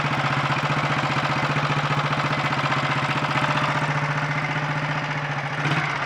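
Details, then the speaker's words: 1951 Royal Enfield Bullet 350 G2 single, first start after full engine rebuild (new main bearings, timing-side shaft and bush, relief valve): even steady idle thump about three beats a second, no knocks or rattles, mechanically quieter than before; normal idle. "that sounds quite happy with life that's condensation of smoke [Applause] [Applause] and i think the engine is uh quite a bit quieter mechanically too"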